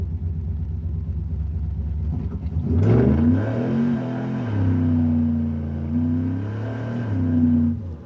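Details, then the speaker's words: 1979 Chevy C10 Stepside V8 after nearly a decade in storage, with carburetors and distributor done; pulling from a stop with smooth deep rising roar, no knocks or misses, transmission shifting late due to TV cable adjustment; normal acceleration. "It's not running bad. I mean, that was just hitting it from the dig."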